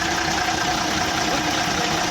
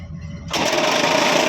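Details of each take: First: Ashok Leyland BS4 truck diesel restarted after a bottle was removed from the engine bay. It gives a loud, dense idle at a steady speed with no standout knocks; the mechanic still remarks the sound is heavy. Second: Ashok Leyland BS4 truck diesel making a new strange noise at start-up, and the water pump was checked. A quiet hum turns into a loud raspy whirring with a high buzz. The cause was a bottle the driver left in the engine bay.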